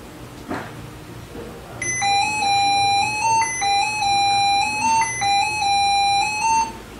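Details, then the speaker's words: Lenovo ThinkPad laptop at power-on: stepped high-pitched tone sequence three times, beep error code 0001, platform reset not asserted; fix starts by removing all power sources. "and in this case it will give me the error code which is zero zero one error code zero zero one and uh the description of the error code is uh platform reset and the asserted implication"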